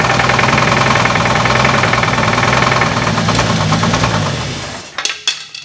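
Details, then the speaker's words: Road trip rescue engine at low rpm during timing setup, vacuum lines loose: heavy steady knock about three to four per second until shutdown; bad connecting rod bearing on the same crank. "Let it high. You gotta push hard. That's the rod."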